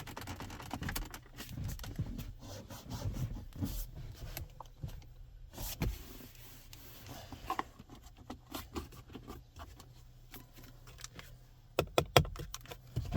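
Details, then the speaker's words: 2024 Toyota Land Cruiser 250, quiet cabin: scattered dry creaks and rubbing squeaks as the trim around the dashboard screen is pressed; the screen surround creaks heavily, poor fit and average materials. "Jak słyszeliście, ramka w koło ekranu bardzo mocno skrzypi, a materiały są przeciętnej jakości."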